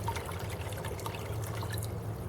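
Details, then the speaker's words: Fluval 306 canister filter after a priming-system teardown and check ball cleaning: a quiet, steady low hum under a gentle water trickle, with no rattling or air sucking. The pump has calmed down and is running normally. "can hear that the pump calm down a lot"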